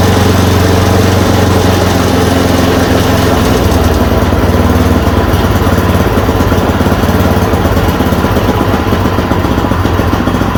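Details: Yard Machine 826 snowblower (8 hp, 26 in cut), just fitted with a dual belt: a fast, steady, even single-cylinder beat with no misses or surging after the idle screw was adjusted. It runs normally.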